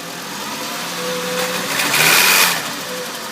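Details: 2005 VW Jetta MK V, 146,690 km, VCDS shows engine malfunction: uneven, lumpy idle beneath a brief rev rise, a misfire at idle of undetermined cause.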